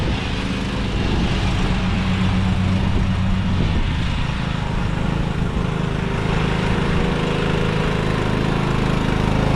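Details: Craftsman riding mower that sat two years, after a dead battery and bad connections were fixed and the starter and carb replaced. Steady, even low single-cylinder chug with no misses or knocks; normal running.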